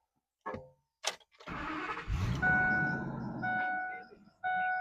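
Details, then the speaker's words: Ford F250 Super Duty diesel running, high steady squeak repeating in short bursts: worn alternator bearings, squeaking since purchase; belt tensioner already replaced without fixing it; alternator replaced. "So, what is it? The alternator. It's the bearings inside of it. Yeah, the bearings inside of it have been squeaking since I got the truck."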